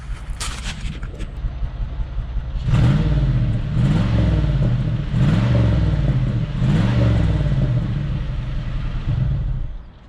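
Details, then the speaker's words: 2001 Cadillac DeVille with P0308 cylinder 8 misfire, in Drive at idle (normally about 625–675 rpm): engine lopes with an uneven stumble three to four times a second over a low rumble; hot catalytic converter smell noted; coil pack later replaced. "I just want to show you all that but the car is skipping you can tell"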